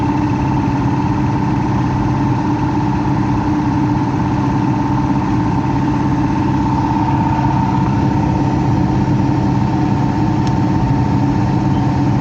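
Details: Heat pump with electric heat reported for loud noises: loud steady hum and rushing air at a constant tone, no speed change; the blower motor sounds noisy, cause suspected but unconfirmed.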